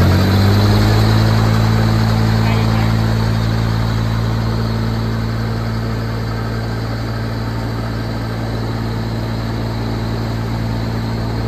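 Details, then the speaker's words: Airbus 500-litre 4WD power-steering crop sprayer with a Mitsubishi 3-cylinder diesel, no blow-by, pump running empty without spraying. Smooth, steady idle with an even low drone and pump whir, no knocks or misses; the engine is healthy. "เครื่องยนต์เป็นMitsubishiครับMitsubishi3สูบครับเครื่องดีไม่มีไอไม่มีดันครับ"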